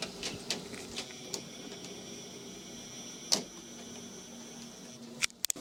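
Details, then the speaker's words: Olympus SH-50 camera (bought 6 weeks ago) recording in a quiet room with windshield (high-pass) option on: faint, thin, steady high zoom-motor whine with small clicks; picked up only when little other noise lets the camera's gain rise. "When I want to demonstrate the zoom noise on this SH50 with a windshield function on, I don't get it. Sometimes I do."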